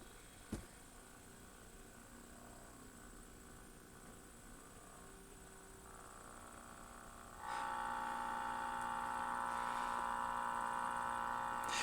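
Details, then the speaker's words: Sentinel 400 TV fed through an RF modulator from a DVD player, after restoration. A steady, fairly high-pitched buzz during high-graphics scenes, while movies play fine; cause not identified. "And it does have some buzzing during the high graphics, but the movies play fine."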